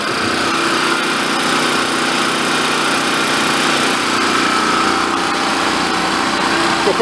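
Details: Vintage Coleman Powermate 1500 W generator, long sat unused, revived, running with nothing plugged in while output frequency is checked for about 60 Hz: loud steady even-pitched buzz, no surging or misses; running normally.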